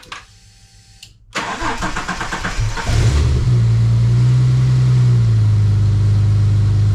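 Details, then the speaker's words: EL Ford Falcon XR6 Turbo restarted after a fault was repaired; silence, a short crank, then the engine catches cleanly and settles into a smooth, steady idle; normal start and idle. "Crank and start, but it works. The car runs again. Yes! Yes!"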